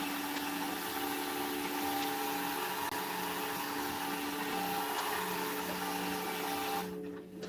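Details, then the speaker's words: Sailboat bilge pump with known issues, run to check water level before replacement: steady electric motor hum with a faint whine, running evenly before cutting off; pump ran dry, fault not evident from sound. "But now, let's uh open this up and run the billagege pump to see how much water we've got in here."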